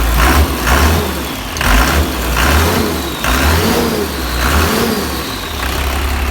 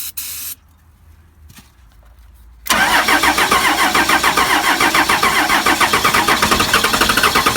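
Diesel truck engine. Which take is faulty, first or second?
second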